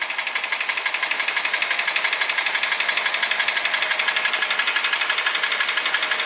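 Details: Toyota Ractis 1.3 2SZ-FE, 100,000 km over 6 years, oil changed every 7–8 thousand km, consumes 500–800 g between changes: sharp even tick-knock about three beats per second over revving; timing chain, tensioner and guides replaced without effect; cause unknown.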